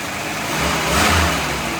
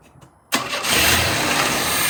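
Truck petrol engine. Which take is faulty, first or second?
second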